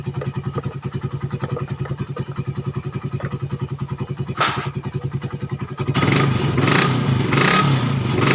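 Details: Suzuki Satria FU 150 cc after fixing the cam-chain top timing that a previous workshop set wrong, which had caused rough idle, harsh noise, weakness and high fuel use. Now an even single-cylinder putter at idle and a clean, smooth rev with no knocks. Healthy.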